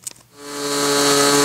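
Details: SIG Kadet LT-40 model aircraft glow engine during break-in, needle set about one and a third turns after running too rich: high, steady whine comes up to speed and holds even, no sputter or hunting; smooth normal running.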